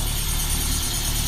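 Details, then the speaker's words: 1972 Lancia Fulvia with original Solex carburetors, cold after sitting and not warmed up, idling on choke: steady even idle with slight raspiness from the choke; normal cold idle. "I didn't even warm it up, so need a little bit of choke to get started, but you can hear it just idles nicely. You can also hear that raspiness. It's the sound of the choke on."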